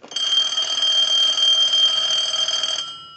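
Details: Bell South clear Lucite Trimline telephone after repair, base bulbs removed to stop it pulling the line down, rung by analyzer: steady high electronic warble trilling about four times a second for nearly three seconds; normal telephone ring.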